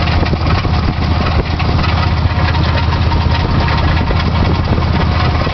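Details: Chevy S10 4.3 V6 idling, loose metallic rattle from the crank area that began a week ago; owner suspects crankshaft or timing chain.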